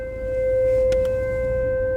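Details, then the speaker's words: Renault Kadjar while driving: steady mid-pitched drone at one pitch with faint higher tones over quiet road noise; unexplained cabin hum the dealer called normal, stopping when the car is locked. "Her şey normal diyorsunuz aracımı alıyorsunuz servise 5 gün test ediyorsunuz inceliyorsunuz Hasan Bey her şey normal diyorsunuz ama anlam veremediğin tek şey var bu saçma sapan uğultular"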